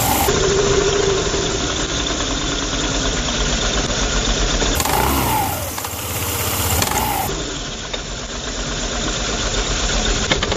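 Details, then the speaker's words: Yamaha Zuma 125 scooter idling with cover off: loose rhythmic flapping slap from a worn, stretched CVT V-belt, with vibration and rough acceleration from idle; fixed with a genuine Yamaha belt. "so we're getting some slapping this is what we refer to this is what people refer to as uh belt slapping"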